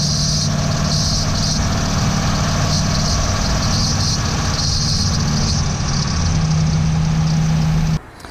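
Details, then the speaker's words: Ford E450 RV chassis engine, 1999 or later, at 2100 RPM: a low, pulsing belt thrum as the serpentine belt hits a resonant frequency, vibrates and bumps the engine block, leaving black marks. "so as you saw when the engine hits 2100 RPM this belt it hits a resonant frequency it starts shaking around it vibrates and actually bumps into the engine"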